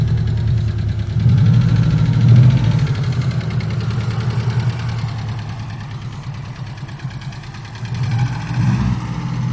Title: sedan lifter tick.